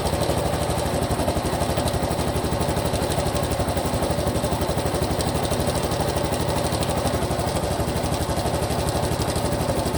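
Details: Honda Cub Pro single-cylinder at idle, abnormal engine noise after an oil change meant to fix it: an even tapping about four times a second riding on top. Source not pinned down.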